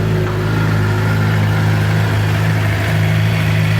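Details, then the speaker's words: Suzuki GSX-R750 idling after a repair for a bad knock under the stator cover, caused by a stator cover screw that had nearly backed out; still warming up, even steady low idle with no knocking or ticking: normal idle. "alright so she's sounding pretty good definitely fix the problem just let a warm up a little"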